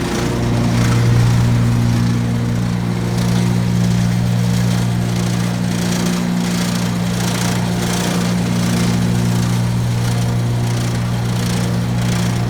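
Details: Brand-new 2017 Gravely ZT HD 52" mower, PTO engaged: steady drone with fast loose chattering rattle, seemingly from the left-side deck belt, quieter when that belt's spring is pulled for more tension; owner suspects a known 52" model issue, not confirmed.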